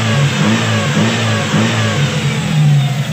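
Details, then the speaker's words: Toyota Lovelife with 2E engine after idle-up diaphragm repair, free-flow exhaust: smooth even note rising and falling with throttle, no knocks or misses, sounds like a 4A-GE; healthy revving. "ayan po guys, output namin ngayon 2E pero tunog 4 AGE."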